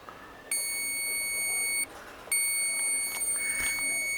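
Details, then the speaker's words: Tester plugged into two-hole power plug on a DF outboard, master and accessory switches on: steady high electronic tone, then another after a pause, the positive tone; positive terminal live. "And there's only two holes in that plug, positive and negative. So that's the positive noise right there."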